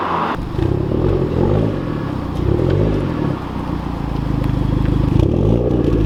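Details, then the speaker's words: Hyundai Genesis with new ARK Performance front pipe, revving heard from inside the car: deep, even exhaust note climbing smoothly with no rattle, misfire or stumble; slightly deeper and louder than before, engine and exhaust healthy. "I think it sounds pretty good I don't I'm inside so it's kind of hard for me to say"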